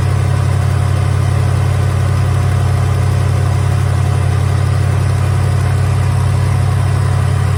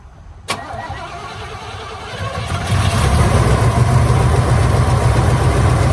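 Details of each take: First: 1983 Hurst/Olds 15th Anniversary 307 V8, revived after sitting parked since about 2002, warmed up: a deep, smooth, even idle burble with no ticks, knocks or misses; runs pretty good. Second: 1983 Hurst/Olds 15th Anniversary with Quadrajet carburetor, first start after sitting parked since about 2002: one sharp crank, then a low, slightly uneven, crunchy-sounding rough idle. Cause not confirmed.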